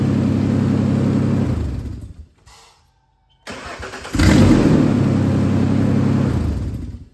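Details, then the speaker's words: Truck after another shop's engine replacement, previously grinding and dragging on crank after sitting; after new starter and new ground cable end, it cranks quickly, catches straight away and revs smoothly, sounding much better. "Well, that sounds a whole lot better"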